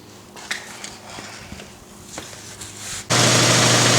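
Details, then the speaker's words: Air compressor after tank swap, belt and pulleys aligned, rated 6.3 cfm at 90 psi, filling up to about 60 psi: motor kicks on abruptly and holds a loud, steady hum and hiss with no knocking; running normally. "Still filling her up to about 60 pounds now. It says it'll put out 6.3 cubic feet at 90 pounds."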